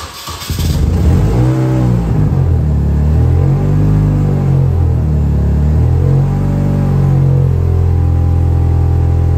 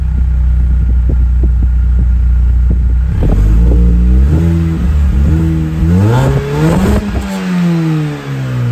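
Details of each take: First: Classic Mini, warming up, trunk open: deep booming low drone swelling with revs, far too loud for a road car; exhaust leaking through holes drilled in the catalytic converter and pipe, to be welded shut. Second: Mini with engine finally fully warm, heard from rear; steady idle then clean blips rising and falling smoothly, no puffing, popping or ticking; exhaust sealed, normal exhaust note.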